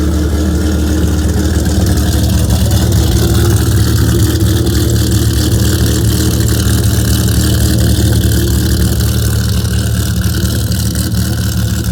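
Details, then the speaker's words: Dodge Viper V10 at fast idle after a cold start in the garage: deep, steady rumble, even, with no misses or ticks; the owner says it sounds really nice once the idle comes down. Normal healthy fast idle, no leaks. "not sure if you can hear me once that idle comes down it starts to really sound nice"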